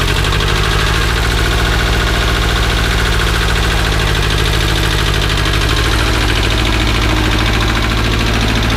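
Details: 1978 Bolens diesel tractor at about 32°F, started cold on KeenPower super capacitor jump starter after 15 s glow plugs: deep even diesel clatter at steady pace, no misses or surging; healthy running after cold start.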